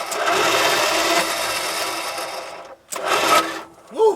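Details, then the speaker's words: Dodge Power Wagon 200 Dude V8 plow truck, parked 40 years, during solenoid and starter troubleshooting; a high free-spinning whir in two bursts with no cranking beat. The starter spins without engaging the engine. "I just got to gr this solenoid out cuz it's now it's starting to do something well starter spinning but it's not engaging the engine"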